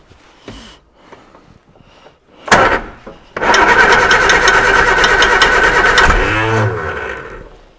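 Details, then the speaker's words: Reliant Super Van first run in 37 years, cold November morning (about 1°C): it fires after a few turns with extra petrol and runs unevenly on one or two cylinders, with a fast light metallic tinkle from the fan blade striking the dynamo. "yes where is that tinkling noise coming from"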